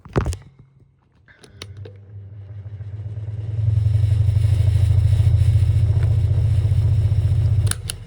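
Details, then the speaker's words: Tatung DS9C fan motor hums up to speed with a rough, scratchy rattle and has a quick coast-down: dry bearings, fan needs oiling. "You still need to oil them because well, if you don't oil your fans, you can lead to dry bearings sound like this."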